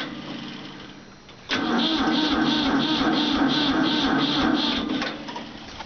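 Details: Ford 4000 tractor with Select-O-Speed transmission that won't start: steady starter churn at about four beats a second, engine turning over but never catching.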